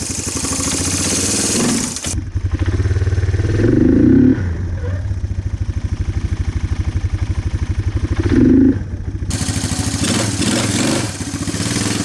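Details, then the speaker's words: Four-wheeler single-cylinder engine sat for years, after new plug and fresh gas, burning oil: stumbling, uneven idle with lumpy beats and surging blips; rough running, still needs tuning, cause unconfirmed. "as you can tell this thing isn't quite running right so we're gonna end this video here we got it running"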